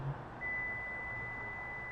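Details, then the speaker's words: 2024–2026 Lexus GX 550 with engine running, key fob taken outside: one long sustained warning beep over quiet engine hum as smart-access lock is attempted; car refuses to lock while running, must be locked manually with mechanical key. "I'm going to get a long sustained beat because the car is still running so I'm I need to bypass the smart access system and lock the vehicle manually"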